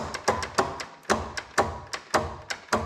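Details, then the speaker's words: John Deere LX186 riding mower with a 17 hp Kawasaki engine, seat switch disabled, parking brake on, on jumper power: sharp single clicks about every half second with no cranking; the solenoid clicks but the starter does not turn the engine. "There we go. I got the parking brake stay on. The selenoid's clicking,"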